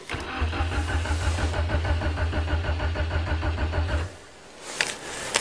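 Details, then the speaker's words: 1994 Nissan Sentra 1.6 manual, cold start at minus 12 °C after minus 16 night, not started this year: starter cranks at about three beats per second for four seconds without catching; hard cold start, long cranking. "i don't hear the fuel pump come on starts like the talon definitely not a cold weather car same every time"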